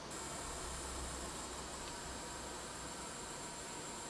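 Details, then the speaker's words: Losi Promoto MX RC motorbike after being jumped from steps, side plate off showing motor and flywheel with some oil: steady whirring hiss with a thin high whistle. The cooling fan is noisy. "the fan is quite noisy"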